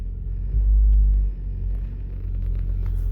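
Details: 1999-2007 Ford Focus while driving and shifting; heavy low boom swelling for about a second over road drone as load changes; excessive engine vibration because the engine support mounts are worn out.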